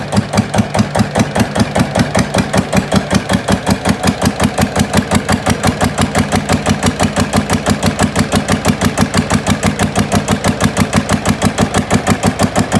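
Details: GA70 diesel on a stand, water had got into the sump, oil changed: starts easily, strong even thump-thump at steady idle, crisp regular firing, no misses, oil pressure up; normal idle.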